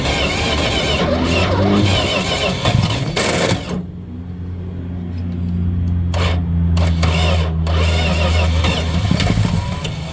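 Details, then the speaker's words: Dodge 318 V8 car that died on the road, spark and fuel present, new ignition coil fitted, ether tried after cooling; engine cranks with ragged uneven firing and a low rough drone, won't catch, pops back through the carburetor. Cause suspected, not confirmed. "I think we have something a little bit more catastrophic going on I don't know if you can hear that or not but I think we've got exhaust blowing up out of the carburetor it ain't looking good"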